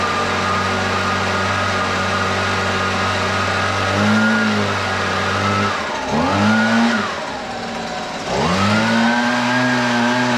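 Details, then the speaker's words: Husqvarna 125BV leaf blower two-stroke after carburetor replacement (previously wouldn't prime or start): steady buzz dipping and surging with throttle, slightly uneven pickup; best it has run in a while, owner thinks it may need slight carb adjustment; normal running. "all right well I'll be honest with you that's the best that saw or that saw that's the best that blower has rain in um quite some time sounds like it could use a little bit of adjustment but I'm not too worried about it"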